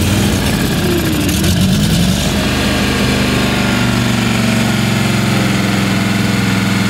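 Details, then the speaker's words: Ingersoll 448 lawn tractor, Briggs & Stratton 18hp Vanguard V-twin, after replacing the faulty choke lever assembly: starts every time, brief rev then steady even idle with no stumbling or surging. "so now that the choke lever has been fixed the engine fires up every time"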